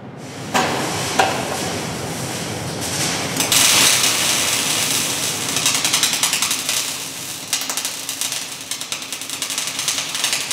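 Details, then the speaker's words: MIG (GMAW) welding with wire feed speed deliberately cranked too high, giving harsh, irregular crackling with frequent sharp pops; excessive wire feed speed. "what should happen is you should hear a popping sound if you're getting a lot of popping your wire feed is too high so we're going to run that on purpose too high"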